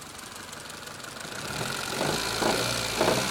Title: Rod Knock?